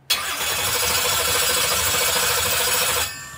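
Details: 632ci big-block Chevy in a 2016 Ralls Cheyenne jet drag boat, previously had broken valve springs replaced, cranked with ignition off to check: even steady cranking about three seconds, no hitches; rhythm fine.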